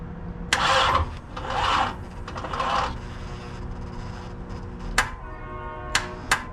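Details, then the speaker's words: Third-gen Camaro cranks in three sluggish, dragging bursts about a second each, then only clicks and no fire after plug and wire work; battery too low to start it. "nope she ain't got enough juice"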